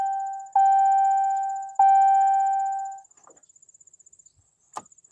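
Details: 2014 Ram 1500 4x4 5.7 Hemi in Park, with an earlier intermittent shifter-stuck-in-Park problem: two dash chimes, then a single sharp starter relay click with no cranking; mechanic suspects a failed starter.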